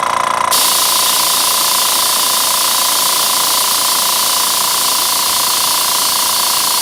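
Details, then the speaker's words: Master Airbrush TC-40T compressor with tank, regulator set at 30–35 psi, feeding a Paasche airbrush: steady even motor buzz with constant air hiss, no stumbling or knocking; runs smoothly and holds about 30 psi. "Yeah, it seems to be able to stay at 30. It may be able to stay higher, but I think that's what the advantage of the tank is, that it will stay at 30 psi, 30, 35, as long as you want to keep it there."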